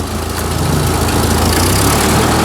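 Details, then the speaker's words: Old engine first running again after being revived, mixture screw reset to factory setting, small exhaust leak heard; loud steady even note with no misses or stumbles; normal running. "actually really good i just set her back to like what i'll call factory turning in half out and it seems to be respawning pretty good"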